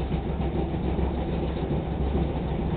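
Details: Older dryer, vented outside the same way as a new Kenmore that won't stay running in cold weather, running on high temp: steady, even low rumble with no clunks, squeals or scraping; drum and blower run normally.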